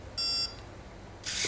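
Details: RC speed controller on a 3-cell LiPo in programming mode: two short high-pitched beeps about a second apart confirming soft cutoff has been selected for cutoff mode.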